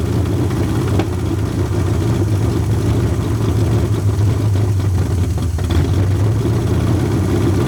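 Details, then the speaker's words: Long-sitting 1981 Ford Mustang 5.0 V8, carbureted, fuel pump bypassed with a pump feeding the carburetor: low, lumpy idle wavering in strength, no steady beat; owner suspects a fouled plug holding heat; idling better than before. "I think that it's probably got a plug that's got a bunch of stuff on it and it's holding heat on that plug so it it's keeping it's letting it keep firing is what I think it's doing but it's idling sort up better than uh oh better than what it has been"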